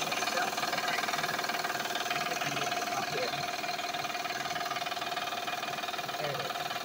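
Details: Van idling, oil changed last month, noise also heard accelerating: fairly regular light knock about two a second that sounds like the engine; loose drive belt slapping.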